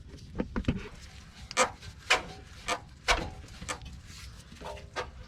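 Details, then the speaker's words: 2004 Toyota Avalon rear sway bar rocked by hand gives irregular creaks and squeaks from worn, loose rear sway bar bushings, source of a squeak/clunk over bumps; replacing the bushings fixed it. "See, it kind of squeaks a little bit, and that right there is the source of our noise, is that squeak or that movement."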